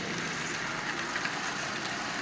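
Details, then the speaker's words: Marx Commodore Vanderbilt toy locomotive, circa 1946, original, with derusted push rods, running on AC. Steady, even whir with a fine wheel-on-track rattle and no knocks or catching; nothing wrong, normal running. "There is nothing wrong with this locomotive at all. As you see, it runs absolutely splendidly."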